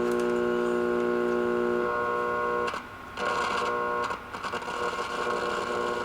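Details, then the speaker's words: Late-1960s Rittenhouse RM20~RM22 radio intercom master station in radio mode, control only partly cleaned: a steady mid-pitched background hum crackles and drops out as the knob turns. Scratchy, dirty control with hum. "it's all very scratchy and staticky I did clean it a little bit when I had it apart but obviously not well enough or it needs to be replaced not sure about that now you can actually hear the background hump even more"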